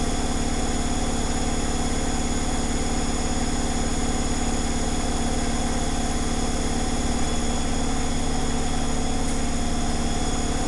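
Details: Zanussi Flexi Dose ZWG7160P washer on final spin with an unbalanced load, held around 1000 rpm instead of 1600 rpm; heavy rhythmic thumping about 2.5 beats a second on a steady drone. Once rebalanced it spun at 1600 rpm without crackling.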